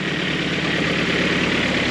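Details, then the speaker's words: Boosted G23BK engine at first start, cold idle with a light, rapid piston slap knock under busy, hissy running noise; knock goes away once at normal temperature. "you guys hear that knocking noise that's the Piston slap once the engine uh goes to normal temperature it goes"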